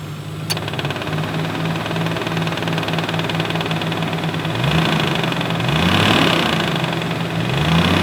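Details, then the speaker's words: 1994 Nissan Skyline R32 GTR V-Spec II idling with air conditioning on and revved: loud rapid tapping/knocking that comes and goes and follows RPM; failing AC compressor (clutch not slipping, still cools), cause unknown. "in my case, it's a loud tapping or knocking noise which comes and goes and is RPM dependent."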